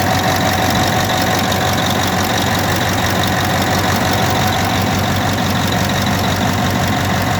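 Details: CAT D9R dozer, 3408E diesel at steady idle: loud, uneven clatter. Hard starting and no start when hot, caused by defective injectors on cylinders 1, 5 and 7 leaking too much return at the oil drain hole.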